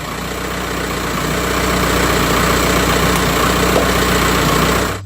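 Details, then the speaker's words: Engine started right up using a HULKMAN Alpha85 2000A lithium jump starter: a steady, even diesel-like clatter with a low drone and no misses or stumbles until shut off; a healthy idle. "so as you can see with that connected it started right up didn't have any issues there"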